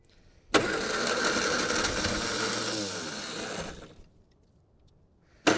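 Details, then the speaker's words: 1960 Triumph Herald dormant 42 years, first start after correcting the owner's mistake: starter churns briefly, engine catches and runs at a fast, slightly uneven idle before shutting off; starts and runs. "Okay. Hey, we're running. Well, we're running."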